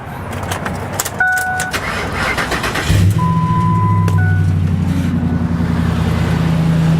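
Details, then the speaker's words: Car jump-started with a Jump N Carry JNC 770R jump starter: warning chimes, brief crank, engine catches at about three seconds and settles into smooth, steady idle; starts cleanly. "I'm gonna come inside, turn the key, and we should have a nice purring engine."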